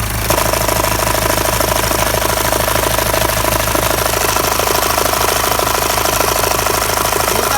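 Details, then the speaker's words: Mitsubishi Pajero Sport 2 engine knocking at idle and low rpm. A sharp, regular knock about twice a second rides over the idle. The cause is the timing belt: the knock disappears when the belt is pried with a screwdriver. "Вот он и выявлен причина стука. Держите. Ремня ГРМ. Сейчас я его поддел отверткой. Стук пропал."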